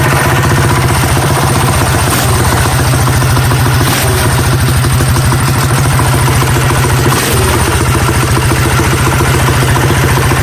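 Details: Coleman CT100U minibike with Predator 212 Hemi after fitting 18 lb valve springs and a fresh oil change: small single-cylinder thumping at a fast, even beat, steady firing, no misses or rattles; running clean and healthy.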